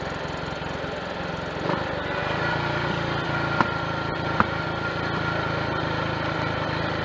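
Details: Triumph Tiger Cub single, warm, on a frosty-morning 12-mile ride after fitting a new carburettor slide, needle, needle jet and main jet to cure a rich mixture and misfire: steady, even exhaust beat pulling away, no stumbles or pops; smooth, no misfire.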